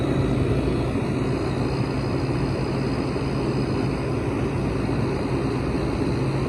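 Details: Hampton Bay window air conditioner from 2004 with a Rotorex compressor and mechanical controls, building head pressure in a hot garage: loud, steady, even drone; running a little louder than normal.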